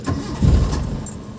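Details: Mitsubishi Lancer hard starting: low churning crank with uneven firing that never settles into a clean idle; engine slow to catch, owner says it is fixed now, cause unclear.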